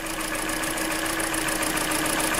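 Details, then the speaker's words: Hyundai Elantra 1.8 engine, 69k miles, idle with an injector disconnected: fast, even light ticking about eight or nine per second, heard less as rpm drops; owner suspects piston slap, not confirmed. "So when the RPMs drop, you can definitely hear it less, but that's why some people say that if you drop the RPMs, actually you hear it less."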